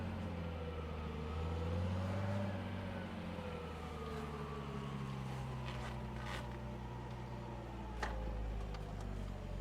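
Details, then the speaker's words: 1969 car with a California black plate, off the road for decades, engine fired up after adjustments, heard while backing up in reverse: low, even note swelling smoothly, no ticking or knocking; engine runs great, a little smoke from sitting. "the engine runs great I noticed a little bit of smoke of course she hasn't been out to be blown out"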